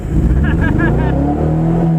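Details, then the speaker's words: 1992 Honda Civic revs hard with a lumpy, uneven note while racing, running rough; owner suspects it is missing a cylinder, not confirmed. "The car is not running well anymore. It's not running right."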